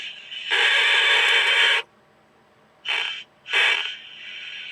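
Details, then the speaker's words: Seven-transistor radio kit just built, tuning near the top of the band; harsh steady squeal cutting in and out in bursts instead of receiving stations; cause unclear, solder spot near a tuning coil suspected: radio oscillation squeal. "That one's just immediately going into some kind of oscillation, it sounds like."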